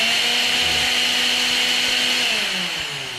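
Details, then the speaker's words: Mixer grinder motor after bush replacement: high steady whine that holds pitch then winds down smoothly, no scraping, rattle or sparking; earlier noise problem solved, motor runs clean. "और कोई नहीं है कोई आवाज नहीं है। Switch on होते ही यह कार्य किया जा रहा है।"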